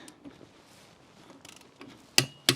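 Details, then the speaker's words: Torque wrench tightening the spare-wheel nuts on a Nissan Primera P12: two sharp metallic clicks about a third of a second apart as the wrench breaks over at its set torque. "so the torque wrench is going to make a loud obvious click when the nuts are tight enough but not too tight not yet still not yet there it was hear that"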